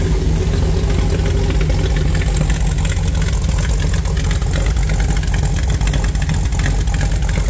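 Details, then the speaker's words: 1974 Ford Bronco after engine swap, V8 with Holley Sniper 2 fuel injection and MSD ignition, fuel pressure about 60–65 PSI, timing set: fires right up into a loud, deep, even rumble with no misses, knocks or ticks; normal idle. "noise might not come out good on the camera but yeah it fires right up"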